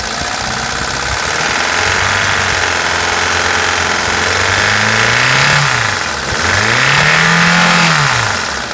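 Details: Mitsubishi Pajero Mini H56A, 4A30 engine running poorly: metallic clanking knock over the engine as it revs and drops back; owner suspects lash adjuster or bearing, source unconfirmed.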